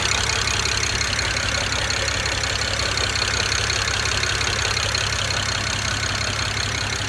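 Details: 2008 BMW 135i N54: lumpy, uneven idle with a stumbling exhaust beat as one cylinder drops out; cylinder 6 misfire from a bad injector, running on five cylinders and nearly undrivable.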